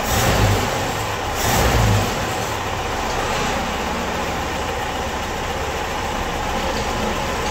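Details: Ford-built M151A2 military jeep, 141.5 cubic inch engine, stored 20 years, believed to be charging and left running to break in: after brief revs it settles to a steady, even hum with no rattle or miss; timing not set.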